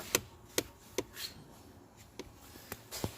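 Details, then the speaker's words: Hyundai Tucson four-cylinder, HVAC stuck on defrost, selecting floor/vent: sharp, uneven clicks about two a second then spacing out in quiet cabin; mode door actuator clicking, likely stuck. "No it's not moving because it's stuck probably that's why go back to floor bent again yeah I can hear clicking"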